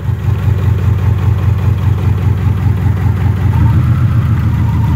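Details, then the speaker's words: Engine running rough with no check engine light and an exhaust leak: lumpy idle stumbling two to three times a second; a bad spark plug wire visibly arcs, causing the misfire. "it'll hit sometimes oh yeah it's bad folks"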